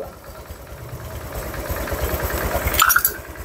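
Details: Honda Vario 150 scooter engine reassembled after overheating, fast coolant loss, oil loss and rough running; idling while warming until thermostat opens and coolant level drops, checking for leaks. Low even putter, steady rhythm, no knocks or rattles; normal idle.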